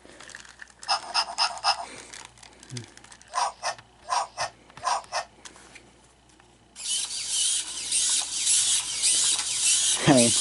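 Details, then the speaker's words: Robopet toy walking: even bursts of small gear whirring, about four a second, each step alike, no scraping, legs lifting and not dragging; normal walking gait. "mean none of those lakes are dragging at all I mean everything is lifting up"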